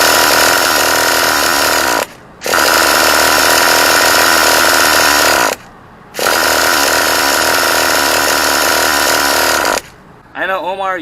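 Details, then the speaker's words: Traxxas T-Maxx 2.5 nitro RC truck, 20% nitro fuel, carburetor gap 1–2 mm, fuel primed through exhaust: three long starter whirs with no firing or catching between them; cranks but won't start after several days of attempts. "this is crazy man I damn KY you were right about this man I'm not losing my patience but it should at least turn on"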